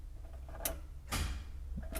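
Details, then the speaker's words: 1978 VW Bus electric conversion: key to start gives first click, start button initiates precharge, then firm clack of main contactor pulling in over quiet hum before controller spin test. Normal contactor engagement. "that will initiate the precharge and we should hear that second click for the main"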